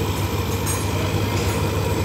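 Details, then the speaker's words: Yamaha Lexi scooter after camshaft bearing replacement (the worn bearing had caused a harsh engine noise), CVT cover still off: smooth, even idle with a steady beat and no rough knocking or grinding. Normal idle. "Ini motor sudah menyala dengan normal teman-teman Ini untuk suara mesin sudah halus kembali teman-teman"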